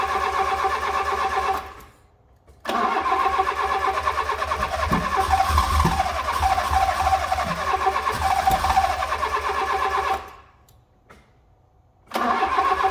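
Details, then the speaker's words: Fiat Punto GT not run for a long time catches and runs a few seconds at a fast uneven chatter, then cuts out, cranks again and stalls; owner assumes it ran out of fuel or the fuel is dodgy. "Okay, so we got it started. It did cut out again. I'm going to assume that the reason it stopped working is because it's now run out of fuel, or the fuel is dodgy."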